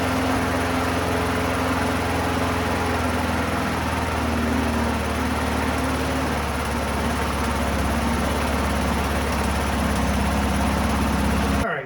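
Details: 1990s Toro GTS 2 550 mower, 5 hp Briggs & Stratton 124702, in neutral just after carburetor cleaning: engine runs at a steady, even speed with no misses or surging for ten seconds before shutting off; sounds healthy.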